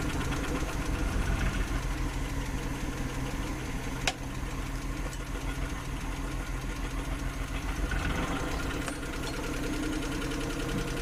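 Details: Suzuki F6 with carburetor, hard starting: uneven, lumpy idle with irregular low thuds and stumbles; running rough, cause suspected, not confirmed.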